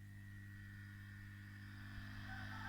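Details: Hot air soldering station with the heating element set to 200 °C: as airflow is turned up, a steady low hum with a faint fan tone firms up and blows harder, with no rattle; the blower sounds healthy.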